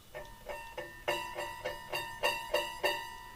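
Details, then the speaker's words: Hegner scroll saw, blade plucked after tensioning with the tension lever: about nine crisp plucks each ringing a clear, steady musical note, the sound of a properly tensioned scroll saw blade. "That sound is relatively important. It gives you an idea of what a good tensioned scroll saw blade sounds like."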